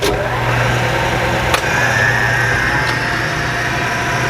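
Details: 1975 Hardinge HC Chucker lathe after drive belt adjustment, switched into third gear at 3,000 rpm via variable speed pulley: steady even hum, faint constant high whine, a couple of light taps; normal smooth running.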